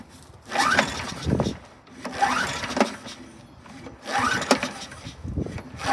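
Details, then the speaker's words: 2002 Toro Super Recycler (model 20037, engine 123K02) with a replacement recoil and little gas: repeated recoil pulls, each a scraping whir that dies without firing. Primer bulb pushes only air, no fuel to the emulsion tube. "okay there we go I'm pushing air with the primer bulb I can hear it no it's not pushing fuel"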